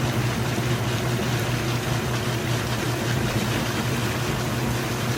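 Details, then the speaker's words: Kenmore stacked laundry center washer at the wash-to-rinse change, lid open with the lid lock switch taped: a steady low pump hum under rushing draining water, even and unbroken; normal drain pump operation. "Before it spins the basket, it's getting all the water drained out as much as it can. You can hear that pump running nice and fast."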